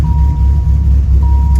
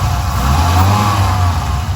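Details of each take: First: 1997 Dodge Viper GTS after new spark plugs, valve cover left off: deep idle rumble that is uneven and shaky, still misfiring; coils were later tested good and one cylinder showed low compression of 120. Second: 1997 Viper GTS V10 after a tune-up, previously misfiring with no power: revs up and settles with a deep, even exhaust note, no stumble or skipped beats; smooth running, misfire gone.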